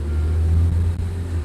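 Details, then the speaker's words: Willys jeep built as a 1943 factory-line example, driving: a steady low engine drone through a smooth change from first up into second, with no grinding or crunching; normal gear change. "change up into second comes a car farmers that was first down into second there no grinding or anything like that just changes"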